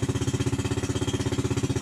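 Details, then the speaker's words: Yamaha New Jupiter Z, delayed starter response, fuel-hungry, weak: fast chuffing beat about fourteen pulses a second, heavy uneven exhaust, stutters at part throttle; rough running from rich mixture. "ini Brebek kita mau hidupin dulu ya dia merebet dan untuk respon staternya itu sangat delay sekali"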